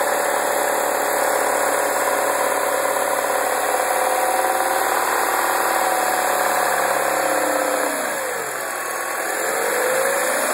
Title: 2009 MINI Cooper Non S rattle noise